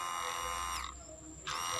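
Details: Kawasaki Ninja 250R FI fuel pump tested on a bench tester; on the bike it stopped humming after repeated key-on. Steady high electric buzz, cuts out for half a second and comes straight back; pump runs normally on tester.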